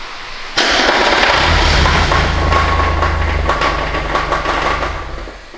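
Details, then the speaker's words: Mazda Miata engine after a loud noise when revved to the 7200 rpm rev limiter; starts loud and rough with sharp, uneven knocking about four per second; serious internal knock, cause unknown, probably to be towed to a shop. "it doesn't sound good at all we're probably going to get it towed to a shop and figure out what's wrong"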